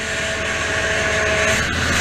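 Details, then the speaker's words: 2004 Toyota Tundra with 215k miles, just fitted with a rebuilt power steering pump and being topped off while air bubbles work out; the wheel is held at full lock and a thin, steady whine sits over a smooth engine; the steering is working normally. "let's go fire it up let's make some noise it's all the way to one lock"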